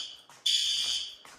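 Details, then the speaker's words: Fire alarm horn on a roughly 30-year-old demo-board panel whose notification (bell) circuit power supply is worn: high shrill blasts that trail and stutter instead of stopping dead, as power isn't cut cleanly. "and if you heard that, you see how it kind of doesn't cut the power cleanly. So once again, old panel."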